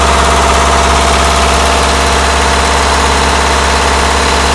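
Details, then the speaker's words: Mazda truck with Weber carburetor and mechanical fuel pump, after adding an electric priming pump with check valves to fix long cranking after sitting; starts right up, oil pressure good, steady even idle with smooth low hum, no misses or knocks; normal idle. "and there it is it starts right up your oil pressure is good"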